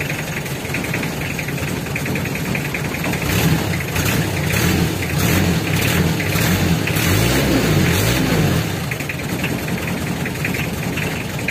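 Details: Mitsubishi L300 diesel emitting white, eye-stinging smoke in the morning: uneven idle with irregular knocking pulses about twice a second. Leaking injectors suspected.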